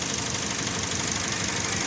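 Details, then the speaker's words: Toyota Vios that cranked but wouldn't start, now running after reconnecting the large ground wire behind the throttle body, not yet warmed: uneven, stumbling, lumpy idle; slight misfire confirmed, spark plugs still to be checked. "confirm medyo may palya lang"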